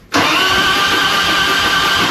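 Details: 2001 Harley FXDX Twin Cam (26k) after upgrading the cam chest from the spring camchain tensioners, cranked to prime oil before plugs go back in: steady fast even starter whirring with no firing; oil pressure light went out.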